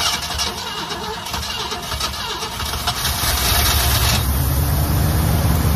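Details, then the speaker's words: 1969 Ford one-owner survivor, 52,000 miles, first start after 23 years in storage on fresh gas with oil poured down the cylinders: uneven cranking about four seconds, then fires and settles into a deeper steady idle; old girl still has life. "what do you think about that folks old girl still got some Life in Her"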